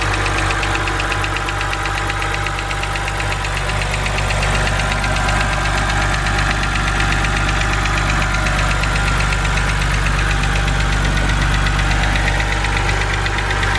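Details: BMW 130i N52 engine at idle, bonnet open: quick even tapping about four per second from the top of the engine over steady idle; hydraulic lifter tick, said to be harmless but annoying.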